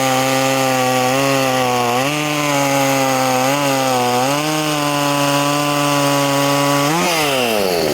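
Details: Poulan 2500 Farmhand (same as 2900), .325 chain swapped in for 3/8 low profile, cutting: strong steady two-stroke buzz bogs slightly and recovers in the cut, then revs freely. Normal running under load.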